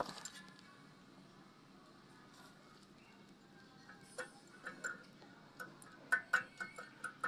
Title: This is how a wheel bearing typically fails #wheelbearing #humming #noise #clicking #autoparts